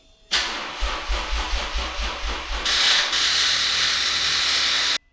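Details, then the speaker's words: Lexus RC F V8, cold start after sitting unstarted for two months: about a dozen labored, slow, uneven starter cranks, brief catch that fades without running; sounds like low battery. "And that's what a car sounds like when you ain't started in two months."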